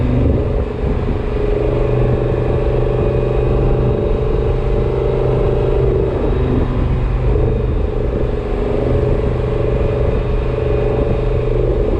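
A steady mid-pitched whine rides over the road rumble and engine drone while driving; the cause can't be pinned down from this.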